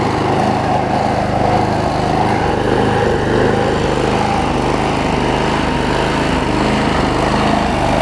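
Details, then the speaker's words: Troy-Bilt push mower, Briggs 5hp Quantum, after cleaning the main carb jet and spraying carb cleaner, started on the first pull: smooth even single-cylinder run at steady governed speed, no surging or misfire; smoke has cleared. "again we're just making sure that it runs they run first off for those clear up some things and the smokes cleared up too so that's good"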